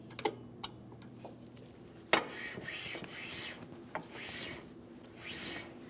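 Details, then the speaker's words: 2003-2008 Toyota Matrix rear drum brake after wheel bearing and hub replacement and shoe adjustment: adjuster lever clicks, then the drum spins freely with soft swishing light shoe drag, which is the correct adjustment. "Now, you can tell that I still spin freely. I do have a slight amount of drag here. That's exactly what I'm looking for."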